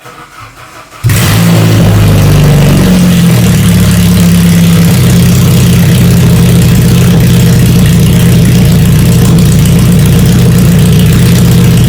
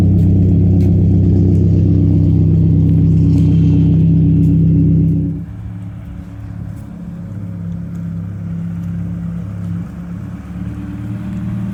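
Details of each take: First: 1992 Saab 900 naturally aspirated 2.1 with exhaust removed, pipes straight from the engine, no mufflers or catalytic converters: sharp crack on start, then loud raw unmuffled bark climbing with each blip. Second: 1992 Saab 900 naturally aspirated 2.1 after new welded exhaust replaced the leaking old one: deep, even exhaust note revs up cleanly, drops to quiet steady idle, no leaks; slight startup rattle was an unadjusted exhaust hanger, since fixed.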